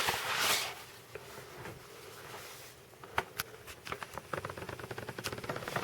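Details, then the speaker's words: 1986 Sony Walkman WM-DD3 cassette player running empty with no tape makes small soft clicks about three per second over a quiet motor hum; clicking mechanism, owner unsure if normal. "You can hear it playing. It's making a weird clicking noise though. I'm not sure if that's normal or not"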